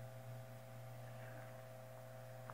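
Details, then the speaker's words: Hunter Century 2-speed oscillating fan, Cat 75 Type D-10, previously overheating on high, not yet lubricated or adjusted, on high speed at about 121 V drawing 0.56 A: smooth, steady low hum with a faint higher tone, no rubbing or ticking; normal. "now of course it's not lubricated right it's not adjusted right so it's not gonna go much faster but that's high speed and there's no problem with it"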